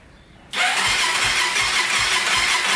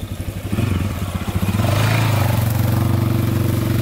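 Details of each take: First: 2001 Honda 400EX on its first start after a rebuild for a loose cam chain and bent valves, with fresh fuel. It settles into a fast idle with light metallic ticking. The cam chain with its manual tensioner needs tightening, and there is also an exhaust leak. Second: 2001 Honda 400EX single, rebuilt and warmed up after heat cycles: even thump with a couple of throttle blips settling cleanly, no knocks or rattles; smooth, quiet, healthy engine before a test ride.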